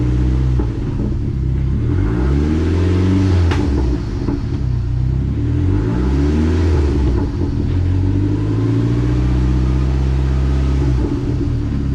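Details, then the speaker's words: Dodge SRT4 after repair: the failed aftermarket clutch pivot ball had let the fork sit low, break the release bearing retainer and damage the case mount; also fixed ground wire and battery connections. Now pulls cleanly through each gear, no whine, clunk, grinding or rattle. "first all right so everything is good to go right here right now [Music] running good everything that we needed to take care of was taken care of"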